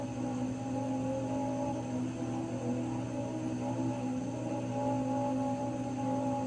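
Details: Raypak 106A heater: a steady, slightly wavering mid-pitched whine with several tones over a low hum; whining again, cause not pinned down.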